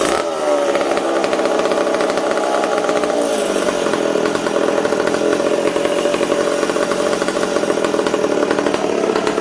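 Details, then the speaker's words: McCulloch Super Pro 70 two-stroke chainsaw on the bench in warm shop (about 20°C): high buzz hunting up and down at idle, never settling; suspected intake air leak, stumbled when intake boot sprayed, owner also suspects decompression valve leaking. "wow you guys hear how it's kind of all over the place i almost wonder if this peacock's leaking"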